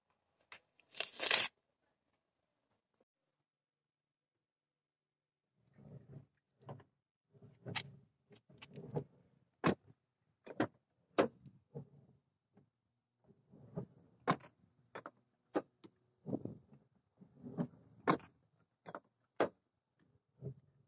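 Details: Car passenger-side door after freeing the seized door check strap: it swings open and shut with light, crisp detent clicks and no loose clunk or creak.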